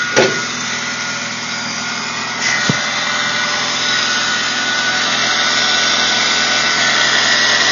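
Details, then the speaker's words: Saturn SW1 (S-Series) engine just after start-up: steady high dry-bearing whine, not belt slap, that gets much louder at higher RPM, with a scraping grind when the belt is pulled. Failing idler pulley bearing, fixed by replacing the pulley. "that's the noise it's making and as far as I can tell it's coming from the idler pulley which is right here"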